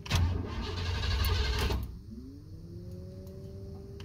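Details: 1988–1998 Chevrolet C1500 pickup cranks under two seconds without firing after heavy rain, a cold front and then hot humid weather; fuel pump kicks on; moisture in the distributor is suspected, not confirmed. Crank, no start.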